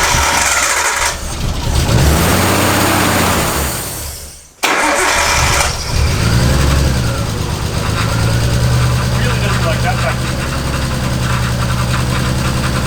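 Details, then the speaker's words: Used RB20 engine freshly swapped into an R32 Nissan Skyline catches, then idle sags, wavers and nearly dies; owner found covering the brake booster line port made it idle, so rough idle from a vacuum leak. "These RB20s are really sensitive to vacuum leaks. So what I did then was I put my finger over basically where the brake booster line goes to, and it started idling."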